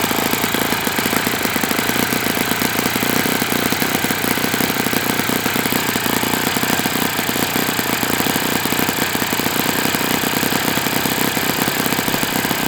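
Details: Enya 46-4C four-stroke model engine on a test stand, 11.5 prop, air bleed opened 1/4 turn: fast, buzzy run at steady speed with a rattly, gritty edge over the firing; owner suspects it needs new bearings.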